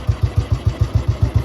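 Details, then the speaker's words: 2008 Royal Enfield Bullet 350 (navy disposal) after tappet adjustment: steady, even single-cylinder thump about seven beats a second, no ticking, tappet noise gone; normal idle. "है कोई आवाज़ नहीं, कोई आवाज़ नहीं कोई आवाज नहीं आ रही है।"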